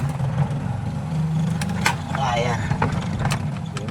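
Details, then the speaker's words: Single-tub spin dryer that had been droning, running after the brake was found to be the problem. The motor hums evenly and the drum turns freely with no rubbing or labouring. "Ah so ayan mayikot na. Yung preno lang pala ang nagiging problema nito."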